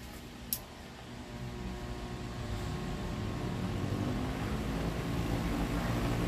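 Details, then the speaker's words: Electric fan fitted with a capacitor twice its rated value: after a click, a low hum and airflow slowly build but never reach natural strength; a large short in the burnt winding means the motor cannot be saved. "botei um capacitor aqui duas vezes mais a medida dele ele continua lendo não vê aquela força né natural dele olha aqui também o outro curto enorme"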